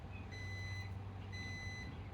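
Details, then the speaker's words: Truck engine running low while its power inverter sounds a repeating high-pitched beep, about half a second on and off, alarming as the truck is dying; low engine rumble underneath. "You get to hear the truck beeping in the background. The truck is dying."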